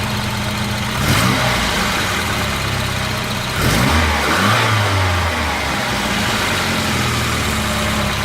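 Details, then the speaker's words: Volvo 240 after fuel pressure regulator replacement; before the repair it barely started and wouldn't run. Now a steady idle and two clean throttle blips that rise and fall smoothly; running healthy. "hen your fuel pressure regulator regulates fuel pressure, it works."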